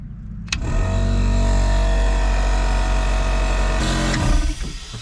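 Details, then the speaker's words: Test run of a battery-powered (solar-charged) onboard compressor in a pickup bed, built to fill a tank to 130 psi: deep steady motor hum for about 3.5 s, then an abrupt cutout as the circuit breaker trips. Pressure seems to hold; replacing the breaker fixed it. "Tripped the Rega. That's not good. I finally got a little pressure. Seems to be holding. But the breaker is tripping."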